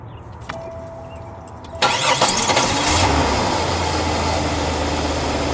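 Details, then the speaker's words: Oldsmobile after patching a vacuum leak: engine catches after a short crank and settles into a steady, even idle, quieter, with no hissing from the hoses. "that's something quiet that's such a quieter though I don't hear nothing coming out of it none of this area"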